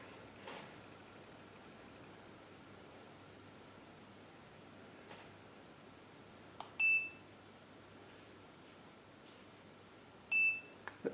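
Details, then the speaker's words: New Wi-Fi camera on wired LAN setup, after blue light goes off: two short high-pitched beeps about 3.5 seconds apart signalling it is ready to pair. "There you can hear the beeping sound. That indicates that the camera is now ready to be connected."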